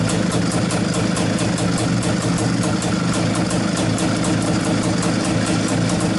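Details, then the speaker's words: Izh-49 two-stroke motorcycle after treating piston knock with solid lubricant, revs raised: even, steady fast idle beat with no knocking or piston slap; normal idle. "пока никаких звуков не слышно вроде все нормально"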